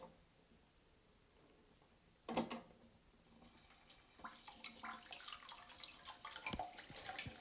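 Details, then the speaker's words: Caroma Stylus dual-flush toilet cistern, quiet steady trickle into the bowl after a light press on the button; push rod too long holds the flush valve open, fixed by shortening the rod. "You can see water is starting to run through there. So that's what will happen if your push rod is too long."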